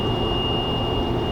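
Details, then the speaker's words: Jeep at highway speed over about 45 mph: a thin, steady high whistle from the light bar sits above the road and engine rumble; below 45 mph it is absent. "okay so you can hear that it's not terrible but on Jeep trips like we do Jeepers do you know it's Offroad and such you know 4 and a half 5 hours it's it's death to be honest"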